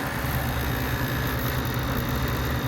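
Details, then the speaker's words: Refrigeration unit after replacing a failed fan motor, compressor suspected of tripping on thermal overload: steady low hum with smooth fan whir, no knocks; compressor pumping, high suction pressure at start under heavy load, clear sight glass. "all right we have compression whether or not everything's working we got to give it some time it's going to have a high suction pressure to start up because it's under a heavy load right now"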